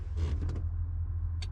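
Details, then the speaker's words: Honda CRX with turbo LS/VTEC swap converted to OBD1, ignition on, engine not running: steady low electric whir of the fuel pump priming; pump runs but no fuel passes the hard line. "no gas i don't feel anything going through it i for sure hear the fuel pump fuel pump's on turns on and it dies"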